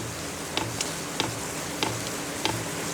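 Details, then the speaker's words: Brand-new Vevor compact diesel air heater in its initial startup phase after the power button is held, drawing 113 W: soft, steady ticks about 95 a minute over a quiet hum, normal fuel pump pulsing; it is running after about 3 minutes. "So hold the power button down, and I hear something happening. So it's definitely in the initial startup phase."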